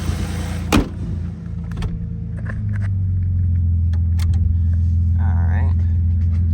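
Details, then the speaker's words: Dodge Magnum 3.5 V6 started after replacing a seized alternator and refitting the serpentine belt and coolant hose. After one sharp clack it settles into a smooth, even low hum with no whine or flutter; running normally. "everything's back in place now I'm going to start it up and we're going to see it's working"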